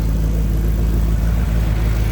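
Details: 1976 Cadillac restarted after injector work, radiator leak awaiting replacement: smooth, even low idle with a steady deep beat and no misses, knocks or ticks; running clean.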